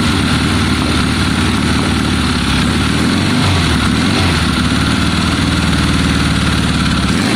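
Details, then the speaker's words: 1972 Triumph Bonneville T120 twin with Mikuni carbs, kick-started on its first start attempt in a long time, running on choke: loud, uneven, lumpy low burble from both cylinders firing, rough unsteady idle when cold. "no now you're on choke on on this side the choke's now on"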